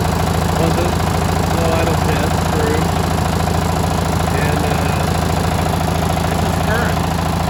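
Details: Li'l Red twin-cylinder tractor on a top-speed run after new spark plugs: strong, even thrum at steady pace with no misses or stumbles; runs great, and there is no longer a gasoline smell at the exhaust.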